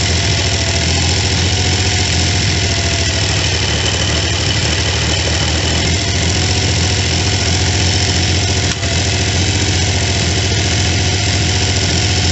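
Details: Triumph T150V triple after heads and cylinders were removed to fix numerous oil leaks, started on second kick (first kicked back); steady, even, full-bodied idle with no knocks or misses while oil pressure and return flow are checked; normal idle.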